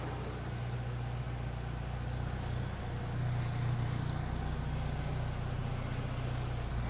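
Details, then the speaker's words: Jeep YJ Wrangler with newly fitted aftermarket exhaust, idling: steady, muted low rumble with even beat, no rasp or leak puffing; quiet, healthy exhaust note. "at's pretty good it's nice and quiet you could drive this thing every day"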